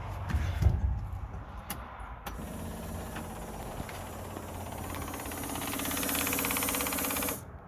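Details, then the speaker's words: 1976 Datsun 280Z, sitting four or five years after a fuel pump failed, key on: steady electric hum with thin high whine about five seconds, then clean cutoff; normal fuel pump prime while checking pressure and leaks. "I'm going to turn the key back on see if it Primes I hear pumps I heard it Prime"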